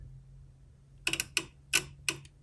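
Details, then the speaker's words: Cooling fan test with a new in-coolant fan switch, sensor terminal grounded: sharp relay clicks in uneven bursts but no fan whir; relay output-side wiring suspected, not confirmed. "i hear it clicking the relay over but i don't hear any fans running"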